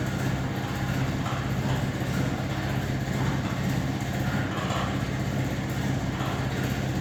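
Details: Trade-Wind exhaust fan with ball-bearing motor: steady low hum with a constant rough gritty rumble underneath from very shaky, worn motor bearings.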